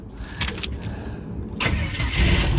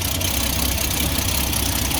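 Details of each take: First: Ford XG ex-police divisional van with AU Ford catalytic converter fitted and oxygen sensor installed: brief crank, catches, settles to a steady, much quieter idle with a light rev; smoke gone, idle still not perfect with a slight smoky leak. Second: Ford XG ex-police divisional van, started after the exhaust manifold was retightened: quieter than before but uneven, slightly rough idle with a sharp ticking puff on each firing pulse; exhaust manifold joint still leaking out the top.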